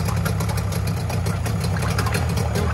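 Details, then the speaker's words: Mariner 30 hp outboard on an abandoned boat, air box removed, pumping water, small petrol leak: steady low burble with quick, even firing pulses and no knocks or misses; normal idle. "nothing wrong with that mate we have actually got a little bit of a petrol leg but that sounds beautiful that little engine sounds perfect doesn't it"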